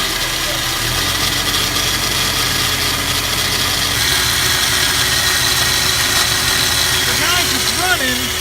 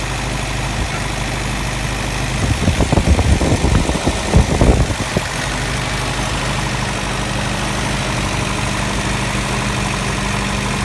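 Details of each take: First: Snowmobile engine after installing a manual fuel pump and regulator, started with starter fluid: loud idle with harsh gravelly rattle throughout and no steady beat; runs rough with a new noise and odd smell, cause not confirmed. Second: Engine after installing a manual fuel pump and regulator, set to a little over 2 psi: smooth, steady idle with an even low hum and a brief clatter of handling partway through, then it settles and runs cleanly.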